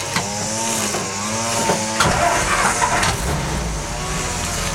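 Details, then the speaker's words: 1962 Jeep FC-170 with its original 226 flathead engine, all fluids new; a weed trimmer whines, then the engine starts after about two seconds and settles into a quiet, even, healthy idle. "runs real quiet. Of course, we've got a weed whacker in the background, so that doesn't help with the noise level, but it does run very well. It's very quiet."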